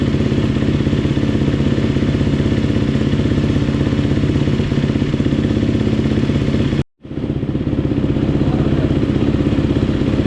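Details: GasGas two-stroke dirt bike, first start after top-end rebuild: crisp, even fast popping, briefly cut then picking straight back up, clean running; normal running.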